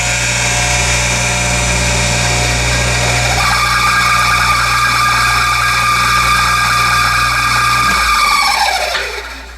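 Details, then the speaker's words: Hayward SP2910 pool pump motor test run after winter storage, before the leaking bushing was replaced: a steady high squeal over the motor hum once up to speed, fading as it spins down. The owner plans to grease the motor. "So it sounds like a little squeak in here. I'm gonna try and jam some grease into the motor and get it apart."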